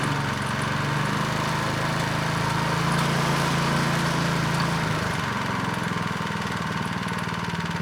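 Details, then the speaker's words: Craftsman snow blower, model 247.889571, being restored, restarted with the belt cover on: steady, even, quiet drone with the earlier scraping gone. Normal running. "well it ran pretty quiet this time with the cover"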